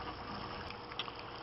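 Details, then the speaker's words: Aquaponics grow bed bell siphon draining into goldfish pond: soft continuous bubbling gurgle with small pops; siphon not breaking, suspected not enough air getting in, more holes possibly needed. "I think we might need more holes yeah it's not breaking the siphon not enough air getting in more"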